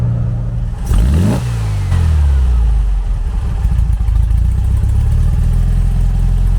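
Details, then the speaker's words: 1974 Beetle 1303S, custom 1914cc air-cooled performance engine, driving after specialist tuning: deep engine pulling hard through revs, cleaner but slightly lumpy; had been very rich, flooding the engine, now much improved but not yet 100%. "I was absolutely right when I said that it was Pig rich I mean it was completely flooding out the engine"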